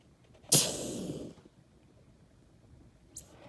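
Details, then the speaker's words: KitchenAid built-in refrigerator not cooling: sharp hissing blast with gurgling sputter as nitrogen at about 175 PSI blows oil out of a restricted capillary tube; continue until gurgling stops and only air exits. "And you want to just keep doing it until you can no longer hear the little gurgling sound. And all you feel is air coming out."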